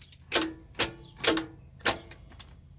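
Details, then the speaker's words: RV starter: four sharp clicks about half a second apart with no cranking; the starter is trying to turn but is probably stuck. "so ya see how it's just clicking so you can hear that it's trying to turn the starter but it can't because it's probably stuck"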